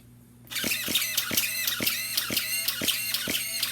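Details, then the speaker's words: Starter on a model engine on 7.4 V through a 7.4 V speed controller: labored whirring with a high whine, pulsing about 2.5 times a second, straining and stripping belts; weak starter, slow cranking. "no way that engine is going to start when it's going through that. All it's doing is straining. It's burning the motor out, okay?"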